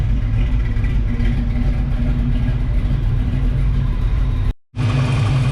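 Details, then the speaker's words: 1978 Pontiac Firebird with a small-block V8 and small cam, a swap after the big block's cam went flat, idling with the exhaust just installed. A deep, steady rumble with slight lope and no ticks or misses: normal idle. "All right, let's see what this thing sounds like with exhaust on it now. Actually sounds pretty good. So listen to that. Little cam sounds good in this thing."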